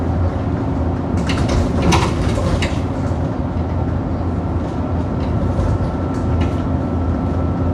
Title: 10662 YX66 WDE making a loud knocking noise over potholes on the 27 service to Wombwell